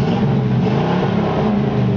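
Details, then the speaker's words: 1954 Chevrolet 3100 pickup with recently rebuilt Chevy 350 4-barrel V8, 700R4 automatic, hot day, 190–195° while cruising: deep, even V8 burble rising and falling smoothly with throttle, no knocks or misses; healthy, nice-sounding exhaust. "It's got a really nice sounding exhaust system."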